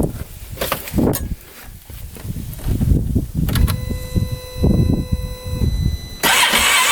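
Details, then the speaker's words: Freshly rebuilt 2015 Polaris Ranger 570 that shut off in snow, backfiring: the starter grinds and turns over in repeated bursts but never fires. Owner suspects the fuel pump has failed or there is no fuel spray; spark is later found present. "nothing fuel pump's [Music] gone wonder if we're not getting any spray in [Music] there"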